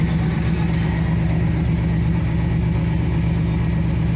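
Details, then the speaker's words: Pontiac Trans Am after new alternator (old one killed by power steering fluid leak, dead battery), starting without jumper cables: steady, even low rumble at constant idle with no knocks or squeals; engine running cleanly. "here's the moment of truth let's see if it starts without jumper cables yeah looking just a little bit better than before"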